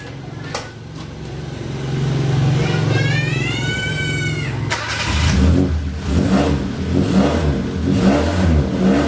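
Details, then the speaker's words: Suzuki Katana after ignition points were set and the distributor turned counterclockwise, having been very hard to start before: a short crank catches at once, then the engine revs cleanly with a firm, even beat; starts easily, more power and smoother running. "kalau kesehatannya Brazil mengarah kebawah dan konyol pilih starter langsung greng langsung didapat tenaganya enak banget Dur dan suara mesin juga akan lebih halus"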